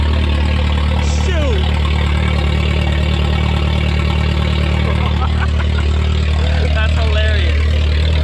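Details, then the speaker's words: Junkyard VW Golf 3 first start, whole exhaust missing, open right after the catalytic converter: very loud, deep, raw idle with an even steady beat, no misfire. "this thing is like it's loud it's really really loud but it runs it idle smooth"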